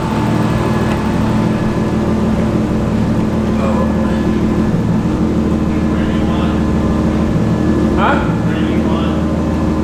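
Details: Car previously no-start (fuel-injector relay lacked proper power, rewired via switch): engine catches and holds steady idle with light revving, voices over it, clean with no misfire or knock.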